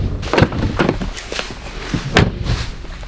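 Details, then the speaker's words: Subaru STi frameless-window door not yet sound deadened: several sharp door slams with a thin tinny clatter after each. "i mean it's not very stable so it's always going to be a really rattly door so maybe i didn't achieve the results that i was hoping it would as far as closing it"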